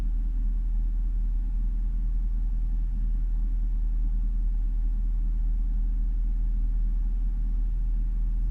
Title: Jaguar XFR rough idle warm engine